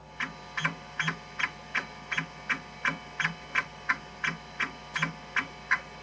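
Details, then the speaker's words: Kyocera KC-20B 20MB MFM hard drive in an Epson Apex Plus, after fix, Check It random-cylinder all-heads seek test: evenly spaced seek clicks about three per second over faint spindle hum; normal seeking, no bad sectors. "So it's not quite as frantic, you can hear. Still very pleasant to listen to"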